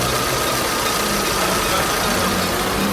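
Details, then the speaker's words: Fiat Palio petrol engine after a rebuild with a new pump and timing belt, revving: faint, steady high squeal from the slightly worn external accessory belts; removing them stops the noise, and the earlier loud noise is gone. "Tá chiando um pouquinho. É externo. Se tirar as correias de fora não dá mais barulho."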